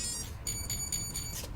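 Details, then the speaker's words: Furitek Lizard Lite ESC (CR18P Rushmore/T-Hunter/Venture18) powered on with full throttle held: four short high beeps signalling entry into throttle calibration mode. "Blinked or beeped 4 times. We'll let go. Beeps once. Then we're supposed to give it full throttle again."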